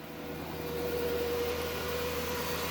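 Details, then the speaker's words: Car running after a jump start, alternator showing warning marks: steady thin whine holding its pitch high over the idle; alternator whine, alternator to be written up for replacement and retested. "And it's whining. Y'all hear that noise? So I'm gonna write up an alternator, man."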